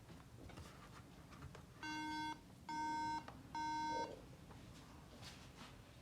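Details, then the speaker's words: MacBook Pro powering on with no display: three bursts of steady high-pitched beeps, about half a second each, repeating; RAM fault code, RAM not seated properly. "तो दोस्तों इसका main reason इसके behind SDO प्रेम जो RAM आपने six की है वह सही तरीके से नहीं लगी हुई हैं उसमें कोई इशू है"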